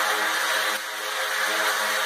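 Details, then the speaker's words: Off-grid water system, recorded inside the house near the tank and pump suction hose: steady hiss of rushing water over an even motor whir, no surging, knocking or cavitation; pump running normally. "You can hear the water rushing in from that outside tube, and then this goes straight down into the tank, and then this hose right here that my hand is on is the suction hose for the pump."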